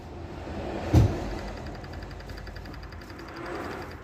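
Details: Ford 1.0 EcoBoost idling with light fast metallic ticking over low hum; owner suspects noisy VANOS/cam phaser, unconfirmed.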